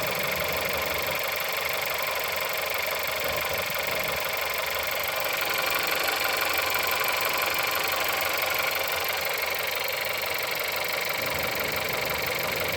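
Cold idle with a sharp, regular tapping about four a second riding over the engine hum; a knock from inside the engine.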